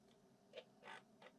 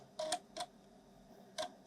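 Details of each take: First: Refurbished Amiga external 3.5-inch floppy drive reading a disk: quiet soft ticks and short head-seek chatter in bursts, no grinding; normal disk reading. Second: Broken Amiga external 3.5" floppy drive on test: irregular bursts of short ticks and buzzy grunts as the head moves, unevenly spaced; the drive mechanism sounds abnormal, cause unknown, though it then reads a cover disk.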